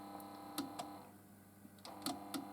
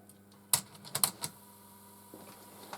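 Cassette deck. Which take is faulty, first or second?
first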